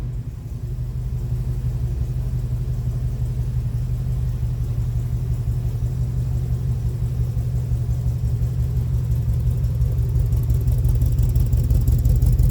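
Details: 1965 Buick Riviera V8, first start in 15 years after new battery, cable and starter solenoid/wiring repair: deep steady low rumble with even beat that swells slightly toward the end; runs smoothly.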